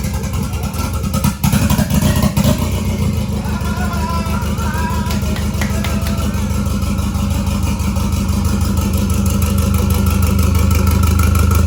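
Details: 1993 Toyota MR2 with a 3SGTE Gen5 engine build, first start: a short crank, then a steady, even idle with no misses or knocks. It sounds healthy despite a check engine light and a little smoke, thought to be paint.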